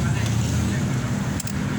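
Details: Toyota Vigo Champ 2013 diesel pickup after replacing the alternator to fix a noise at the front of the engine: smooth, even, quiet idle with no chirp, rattle or clatter; repair complete.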